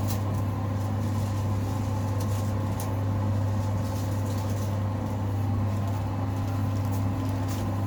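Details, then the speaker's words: 5 kg Simpson clothes dryer after rear bungy belt replacement: steady even low hum, no squeal, thumping or scraping, drum turning smoothly; fixed, healthy. "All fixed. I can feel the air hitting my face as we speak."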